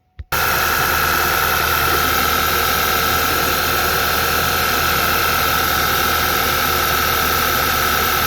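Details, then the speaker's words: 2010 Audi A4 2.0T with low compression on cylinder 2 (153–155 psi) and fuel smell in the oil, started after the high-pressure fuel pump was replaced but before an oil change. Clean start, then an uneven, stumbling misfire. Cause still undiagnosed. "Alright, so you can hear it start to mist now. So I don't know if that's because the oil needs to be changed or if we've still got further problems."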